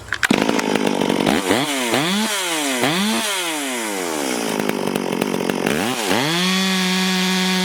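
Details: Stihl MS440 chainsaw under load in old oak, before port work; screams up, pulls down steadily and recovers cleanly between passes, self-feeding with good chips; normal cutting, though fuel line and carb kit still planned.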